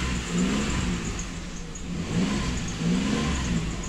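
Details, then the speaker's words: 2008 Ford Explorer after replacing the fuel pressure sensor and clearing codes: engine picks up and settles smoothly through light revs with no knocks, misses or stumbles; runs like new. "Okay, rush the motor a little bit. She running TikTok with that new sensor. There she go."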